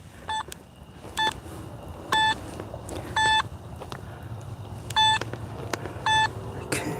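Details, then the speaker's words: Metal detector swept at night along a metal bench in a wet playground; short bright beeps about once a second over low rumble, a single return from the bench, while listening for a double "BB" return that marks a real target. "Metal bench, you just got to listen for a change in tone. That single return, that's the bench. What you're listening for is a double return, so that classic BB."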